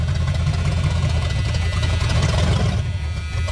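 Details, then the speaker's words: 1973 Ford Mustang Mach 1 V8 recently revived after sitting, being driven onto a trailer: deep lumpy idle with uneven low pulses and stumbles, loading up; rough idle, owner suspects worn spark plugs and wires. "oh come on seems to be loading up a little bit [Music] that was a mess [Music] I'm sure it needs spark plugs and wires"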